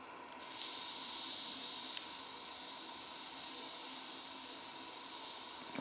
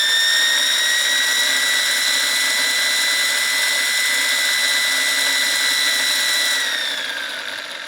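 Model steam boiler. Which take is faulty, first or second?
first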